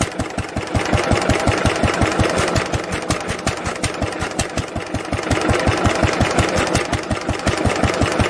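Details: 1946 International LBBR McCormick-Deering 3-5 hp hopper-cooled single-cylinder hay-press engine, recorded from about the same distance after the homemade glasspack muffler was fitted. Even, muffled exhaust thumps come near three per second, steady and regular with no misses or knocks, normal running.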